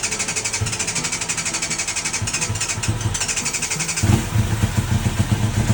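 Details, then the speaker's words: 1990 Yamaha FZR 600 with new petcock, carb cleaner sprayed into the carbs: rhythmic cranking, then a brief ragged catch that stumbles out after about a second. The carbs are to be cleaned, and a battery issue was also wondered about. "I was spraying some carb cleaner into the carbs. Trying to see if that'll start up. And it did for like a second, but th"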